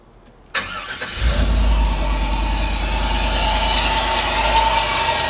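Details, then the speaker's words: 1988 OBS truck with a junkyard LS 6.0 and 4L80E, at idle: a thin steady whir from the serpentine belt riding off its track between the tensioner and alternator; belt noise from misalignment, not the drivetrain. "it just makes a lot of noise man when i thought it was something wrong with his drive train or whatnot but i got to get that miss fix but i'm gonna fire back up for the time being this just sounds bad"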